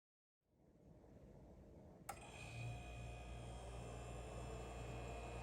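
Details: Ca'Lefort 15-inch wine cooler after installation: loud, steady hum and buzz with a thin tone above once its motor kicks in, excessively noisy compared to other appliances.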